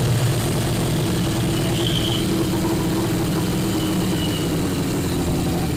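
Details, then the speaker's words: 1981 Yamaha Maxim XJ650 four-cylinder, dead for 20 years, now revived: even, steady idle with no misses, knocks or hunting. Runs cleanly, though carb diaphragm work is still pending. "well there you go me and Abram have successfully got this bike running that hasn't ran or been on the road for 20 years"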